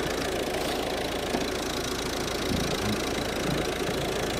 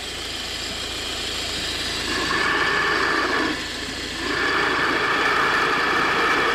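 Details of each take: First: Volvo V50 1.6 diesel at idle, mic close at the alternator: steady, even whir with no whine, grinding or bearing rumble; alternator sounds healthy. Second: Volvo V50 1.6 diesel at idle, mic at the belt drive: steady high whine at constant pitch over a smooth idle, appearing over the last few thousand kilometres; worn belt tensioner bearing, replaced along with alternator and belt.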